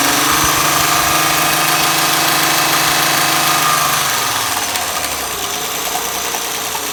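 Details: Honda Accord petrol engine idling: a high, steady chirp that continues with the drive belt removed. Front cover removed and a damaged camshaft lobe found.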